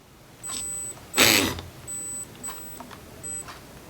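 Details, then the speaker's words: RC brushed motor on a Hobbywing QuicRun ESC at very low throttle: short high-pitched beeping bursts instead of smooth running, likely from the ESC drive frequency setting. "okay so we do have some beep some beepage going on"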